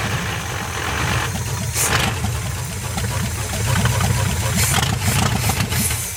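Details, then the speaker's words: 1973 GMC square-body small-block Chevy V8, parked since 2001 and revived, runs with a deep burble rising on throttle blips, firing evenly without knocks or misses; it has lots of oil pressure and sounds like a good running engine. "sounds pretty healthy yeah I'm going to fill the float bowl and just make sure it wasn't a fluke maybe give a couple rip thems huh mhm it's cut not L of gas it's got a lot of oil pressure so it's probably a good running engine"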